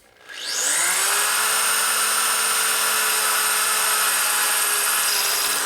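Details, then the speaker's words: Drilling out a heat-treated set screw on a 1999 80ci Evo Harley chopper: drill's steady high whine turns to a harsh rubbing scrape as the bit reaches the hardened tip and stops cutting. "see set screws get very hard at the end because they're heat treated you heard that getting really hard at the end that means i got down to the tip right here and it got really hard you can hear it not wanting to cut"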